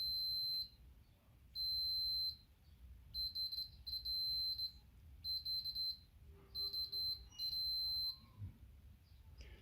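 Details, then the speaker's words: Logitech G910 keyboard key: steady high beeps in short bursts, broken by quick dropouts and a double tap on slow presses, with a dead spot in the travel. The switch contacts are physically faulty. "you might not hear the beep but I can see the movement on the test every time it goes slowly there's also a double tap"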